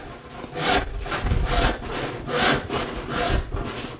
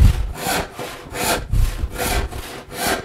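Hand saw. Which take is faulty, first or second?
first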